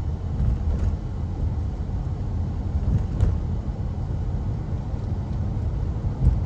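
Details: Honda CR-V with 150,000 miles, winter, after hammering a large chunk of ice loose: steady low road rumble while driving, even and smooth with no rhythmic thumping; earlier thumping vibration gone, sounds healthy.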